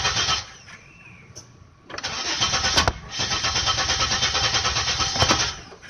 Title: Monte Carlo won't start